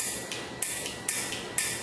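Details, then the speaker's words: Train horn kit test: sharp crisp clicks in pairs about every half second from the horn solenoid opening and closing when the push button is pressed, showing the wiring works properly. "you'll hear that clicking noise that's not from the push button that's from the solenoid opening and closing so that means everything's good here"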